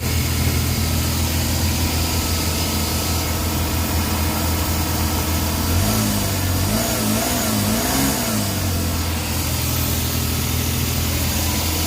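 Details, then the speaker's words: Suzuki DA17 with rough, high and low idle and no fault codes, with the aircon on: a loud busy idle sitting too high with a shaky uneven beat and a brief rev wobble. "Okay so nakita niyo guys narinig niyo na sobrang ingay talaga ng makina Wala siyang magandang Menor kanina namamatay nanginginig ngayon naman ah Mataas yung Menor"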